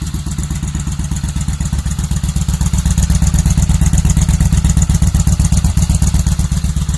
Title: VN1500 First firing after rebuild